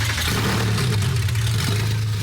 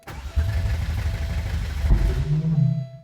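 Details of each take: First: Porsche 964 flat-six, first start after a part was turned 180° and re-stabbed, no muffler, true dual exhaust: loud, even idle with a steady deep note and no misses or knocks; normal running. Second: Porsche 964 flat-six, first start attempt: rough uneven cranking with two exhaust pops and a brief low stumble that won't catch.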